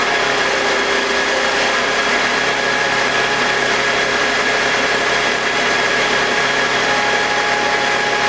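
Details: BMW E46 with M52TUB25 engine at idle, intake VANOS disconnected: steady even hum, no grinding or scraping, no RPM drop. Owner suspects the VANOS causes a grinding noise, worse at startup, heard when connected. Normal idle.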